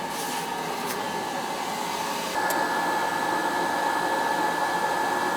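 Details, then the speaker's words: Riello oil burner on an NTI boiler, annual service, running: steady even roar with a constant fan tone, no pulsing or rumble; firing cleanly, running right. "Yeah, she's running good. Fired up nice."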